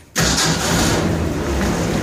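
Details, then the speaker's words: 1962 Boyertown step van on Ford P400 chassis, repowered with propane-only carbureted Ford 300/306 six-cylinder, 4-speed in neutral, not yet tuned: starter turns briefly, engine fires at once and holds a steady, even idle with no misses or knocks; normal start and idle. "I do have it running, and it does run really well. None of the gauges work. I got the lights to work here. We'll just fire it up real quick. It idles really nice."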